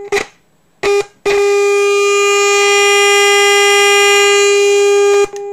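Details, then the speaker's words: Orion R545A radio chassis under restoration, fed a 450 kHz IF signal from a generator with all attenuation removed: loud, harsh steady tone with a gritty buzz that cuts in and out; the strong IF signal is overdriving the speaker. "I'm overdriving the speaker so like I said the if' signal is extremely"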